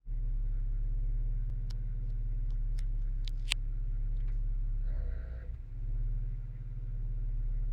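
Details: 1995 Acura Integra LS, B18B1 5-speed, AEM carbed intake: short whirring buzz every few seconds from under passenger-side hood over steady ~750 rpm idle; occurs at key-on, cold or warm, and after long drives; ABS light comes on while driving; source unknown.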